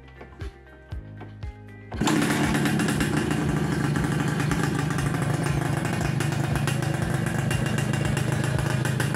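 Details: Suzuki Satria Hiu two-stroke first start after reassembling kick-start shaft and spring and filling 1 liter plus 50 ml oil: a few kick-start clunks, catches at two seconds, settles into steady crisp idle; normal.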